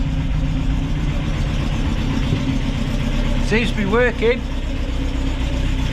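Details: Rebuilt Ford crossflow race engine in a Vixen with loaned cylinder head, first run after repair; steady even idle with a brief chirp, no knocks or misfires; sounds healthy.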